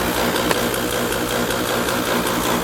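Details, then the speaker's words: 1993 Ford Thunderbird SC Super Coupe, supercharged, 48k original miles, known bad head gasket: at standstill a small pump gives a fast, even buzzing chatter, believed to be the electronic air suspension compressor running normally. "Is that suspension? Yeah, I think it is. It does have the electronic air suspension."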